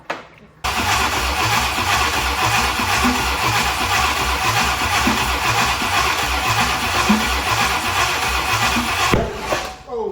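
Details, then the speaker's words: 1965 Ford Thunderbird FE 390, sat bone dry a long time: starter grinds with a loose chug about twice a second but never catches; owner suspects fuel not yet reaching the engine; cranks but no start. "it could just be that we haven't given it enough time to get fuel to the you know this thing's been bone dry for a long time right"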